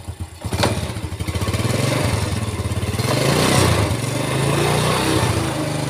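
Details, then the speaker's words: 4-stroke motorcycle that ran rough only in gear, after reassembly with a crushed cage found as the cause, tilted so clutch plates get oiled; small catches on cranking, then even idle with light blips, no rattle or harshness in gear; normal idle in gear, fixed. "Oke kita coba masukin giginya [Musik] udah halus ya"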